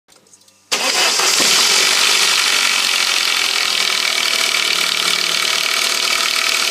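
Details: 1998 Saab 9-5 2.0 light-pressure turbo, overnight cold start; engine catches and settles to a busy idle with a fast, uneven ratcheting chatter on top, roughly four per second; cause unclear.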